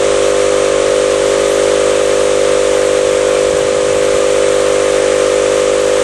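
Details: Campbell Hausfeld 20-gallon oil-less air compressor, reassembled after repair for not building or holding tank pressure; loud, even hum with steady airy hiss, no knocks or stumbles. It runs smoothly, though a motor mount and compressor tube still need replacing.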